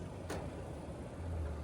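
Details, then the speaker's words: Central AC outdoor condenser on Long Island in summer heat, running after a failed capacitor was replaced instead of a quoted system replacement: steady low hum, one short click near start; runs smooth and even, normal. "They wanted $145,000 for a new capacitor. System's running, bro. That's the problem. That's what we diagnosed."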